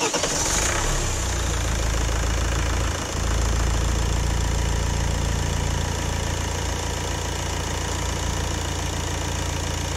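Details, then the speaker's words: Renault Laguna II 2.0 dCi 110 kW M9R diesel, warm, after oil pump replacement: steady even idle, no knock or tapping; oil pressure about 3.5 bar warm (about 5 bar cold); a squeal heard earlier still to be investigated; normal idle. "Tak já to ještě nastartuju, změříme ten olejový tlak, ještě ukážu to znova, že ten tlak je v pořádku a pak si od toho odpíchneme."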